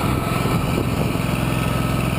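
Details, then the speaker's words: Small twin engine started on choke in cold, snowy weather after cleaning carbon off the fouled forward-cylinder spark plug: quick, even putter with no skipped beats, firing on both cylinders; normal running. "yeah had to use a choke there it's kind of cold out you can see the snowflakes that sounds great"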